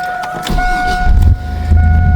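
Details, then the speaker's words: 1999 Chevrolet S10 pickup just after replacing the battery; quick crank, then catches at once and holds a smooth steady idle: normal start. "it fires up like it's nothing."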